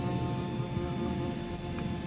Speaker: bu fan biraz fazla ses yapıyor ama hepsi Öyleymiş Eee zaten motosikletle giderken onu duymuyorsunuz